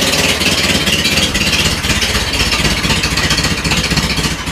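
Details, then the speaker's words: Renault Trafic van engine restarted after 23 years standing, with a homemade exhaust; loud raspy chuffing at the front, where the exhaust joint has no gasket and is not yet fixed, over a barely held idle. Exhaust leak. "Bon après il y a plus part du bruit qui vient de devant aussi. Voilà, j'ai pas de joint ici."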